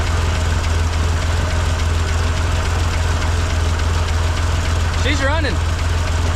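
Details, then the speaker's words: 1958 Lull telehandler cherry picker run after sitting 15 years, carburetor on mechanical fuel pump, barely idling rough with a light irregular knock about three per second; knock, unclear whether top or lower end. "it sounds like we got a little bit of a knock and I can't tell if it's from the top end or the lower end"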